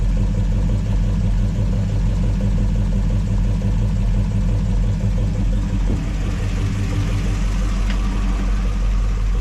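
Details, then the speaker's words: Original 283 V8 in a 1967 Chevelle with stock valvetrain and standard-volume oil pump, warm at operating temperature: steady low idle around 700 rpm with slight cam lope, 40 psi oil pressure, healthy. "but for stock valve train pretty good and at temperature you know at 700 RPM idle it still has 40 lb at temperature so that's pretty good I'll take that"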